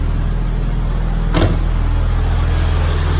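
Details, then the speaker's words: Toyota Celica ST185 GT4 idling after an MOT failure fix. Fault codes are cleared and charging is at 14.4 V. A steady, even, silky-smooth idle with no misses, knocks or hunting. "the fault codes have disappeared idle is good that sounds pretty silky smooth"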